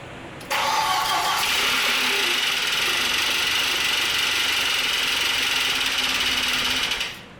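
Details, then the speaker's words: Audi 1.8T after an engine swap and timing belt install: the starter spins fast and even with no compression beats, a light whir that never catches; very low compression after the timing belt job. "the crank sound is a very distinguishable low compression sound that's just just what it sounds like"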